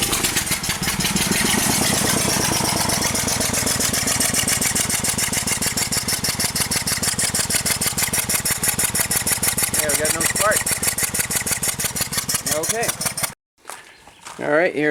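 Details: 2002 Toyota Highlander that owner says won't rev over 2,000 rpm, idling with spark plug and coil reinstalled on misfiring cylinder two (plug dry, not fouled); idle stumbles with an uneven, lumpy beat; rough idle with misfire, cause not yet confirmed.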